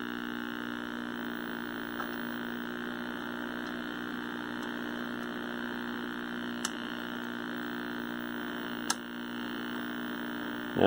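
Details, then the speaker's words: 1960s Philco S-1262bk black-and-white vacuum tube TV: steady low obnoxious vertical buzz whose amplitude tracks vertical size, something bleeding over; traced to a bad solder joint at the audio output tube socket. "we still got that obnoxious vertical buzz the amplitude of that sound is in direct proportion with the vertical size so something's bleeding over"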